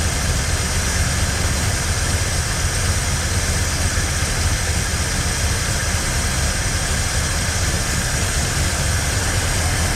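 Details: 1968 Mustang 289 V8, first start after sitting 30 years: steady, even low rumble with no knocks or misses, smooth healthy idle; oil pressure good, not yet warmed up.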